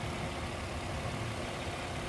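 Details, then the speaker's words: 2012 Nissan Murano with a blown head gasket after overheating, coolant system parts replaced, idling a few minutes after K-Seal was added with the cap off: steady, even idle with a smooth low hum and no ticks or knocks, quiet and healthy. "we going to see what happens so the engine sounds quiet okay I'm going to let it run 3 more minutes"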